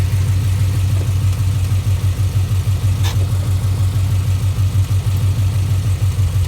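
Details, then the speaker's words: 2011 Mustang GT Coyote 5.0, about 7,000 miles on a new Gen 2 short block with Gen 1 heads, running E85: a deep rumble with a regular thump about three a second that grows under load when driving forward. Gold metal flakes found in the oil; knock or tick unconfirmed. "motor as you see I've only put about [Music] 7,000 miles on it and listen to it it's got a pretty good tick to it let me see if I can capture it for you"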